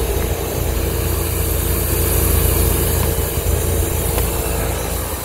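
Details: Condensing unit running after a new fan motor was fitted, coil cleaned and blown out with nitrogen: a steady low hum with an even fan rush and a faint constant tone, no rattle or scrape. Normal condensing unit operation.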